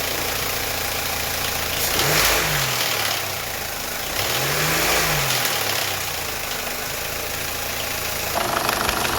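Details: Audi A4 B8.5 1.8 turbo (EA888) idling after a camshaft adjuster spool valve swap (06L109257B/F): even idle with a couple of smooth blips, only faint light ticking and no diesel-like rattle. The chain rattle went away after about five miles of driving; engine sounds healthy.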